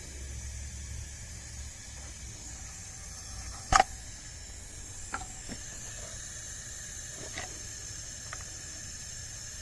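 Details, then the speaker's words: Acura 3G TL Type S V6 leak-down test on cylinder 5: faint steady air hiss with a few sharp knocks as compressed air escapes through the exhaust past a leaking exhaust valve. "so during the leak down number five right now i do hear something coming from the exhaust as well"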